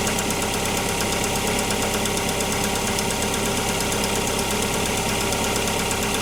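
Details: Opel Antara cold start after standing several days with oil drained down, checking whether RVS G4 additive helped, under the open bonnet: a fast, rather uneven ticking clatter over a steady cold idle; abnormal engine noise, cause not identified.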